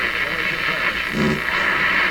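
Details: Nordmende Traviata 59 tube radio after capacitor replacement and speaker circuit repair, on shortwave antenna: steady hiss with faint station audio and low hum through the speaker; receiving normally.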